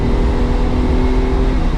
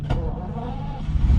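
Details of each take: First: Ferrari 365 GT 2+2 with three carburetors, hot after driving, idling under a loud puller fan; engine stays running and picks up cleanly without stumbling, showing all three carbs have fuel after adding an electric fuel pump to fix vapor-lock fuel starvation. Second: Ferrari 365 GT 2+2 with three carburetors restarting after fuel starvation from vapour lock: brief cranking, then a low rumble as it catches once the electric pump refills the float bowls. Engine restart after stalling.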